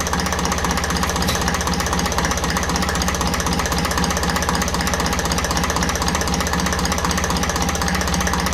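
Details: 1954 Ferguson TEF-20 diesel tractor, idle after adjusting the diaphragm housing on the rear of the fuel pump: steady, even tickover at constant speed with no hunting; idles smoothly.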